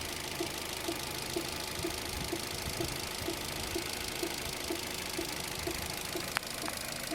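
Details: Opel Zafira B 1.8 z18xer 140 hp engine at idle: light steady tick about twice a second over a smooth idle; engine knock of unknown origin.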